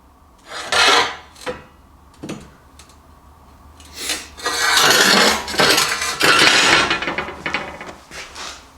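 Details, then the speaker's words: Fronius TransSteel 2200 MIG welding on max settings for thicker metal: bursts of steady crackling sizzle, even and without popping; smooth high-amperage MIG arc. "um it was actually pretty cool it ran it really smooth actually um and when you're welding thicker stuff with Mig I mean that's kind of what what you got to do is just turn it up pretty pretty severely"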